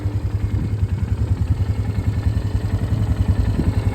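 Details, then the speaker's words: 2008 Polaris Scrambler 500 HO 4x4: even, unhurried single-cylinder thump at idle with no knocks, misses or hunting; a healthy idle, starts every time hot or cold. "But no, it'll sit here and idle all day. It doesn't care."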